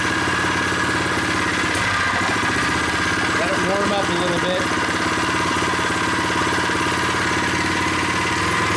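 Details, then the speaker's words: New unboxed Predator 79cc single-cylinder engine on first start with stock tank and muffler, freshly filled with 0.37 quart oil, no choke: a light, quick, even putter at a steady idle as it warms, smooth and healthy. "This engine feels solid, sounds good."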